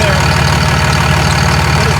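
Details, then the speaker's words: 6.4 Fummins truck with 5R110W, downpipe not connected, just close to the other pipe: loud raw diesel idle with harsh chuffing pulse, far louder than normal; exhaust leak from the open downpipe. "The exhaust is not hooked up. It's only because it's so close to the other pipe."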